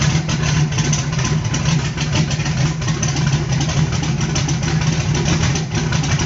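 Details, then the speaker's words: Carbureted small block on pump E85, CSU blow-through carb, no choke or aux fuel, cold start, engine around 100 degrees, sound should change near 140; steady deep idle, slightly uneven and lumpy; cold E85 not yet burning cleanly. "you'll hear the motor when it gets to 140. the sound of it will physically change when that e85 starts to get into a warm cylinder and burn properly it won't sound the same"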